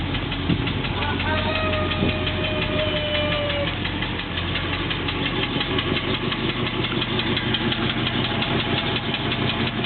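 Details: Cold Triumph Stag petrol engine idling with a steady, rather uneven knock of about three beats a second, audible everywhere on the engine.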